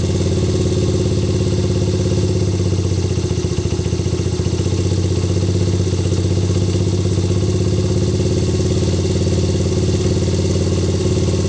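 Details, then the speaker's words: Honda XR80/CRF80/XR100/CRF100 single after rebuild (cylinder honed, valve job), warmed up at steady idle: fast, even light clatter as cam chain tensioner is adjusted by screw—too tight whines, set to just a faint slap, then locked. "so all you do is you loosen this pull then you turn this screw more slab and if you go too tight it'll whine now it's whining so what you want to do is you want to turn it till you hear it"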